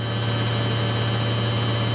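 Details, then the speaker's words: Samsung 8kg Eco Bubble front-load washer, used 3 years, spinning at 1200 RPM with 2 minutes left: steady, even whir with a constant low hum, no knocking or rubbing; smooth, normal top-speed spin. "Now we're just spinning, and this it's doing at 1200 RPM, so fast. And we're just remaining with 2 minutes. It's just 2 minutes to finish this wash. As you can see, it's spinning at 1200 RPM."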